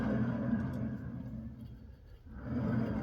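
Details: 2017 Chevy Equinox with growling from the rear at 70–75 mph, rear hub turned by hand: low gravelly rumble with coarse pulse about four times a second; worn rough wheel bearing/hub assembly.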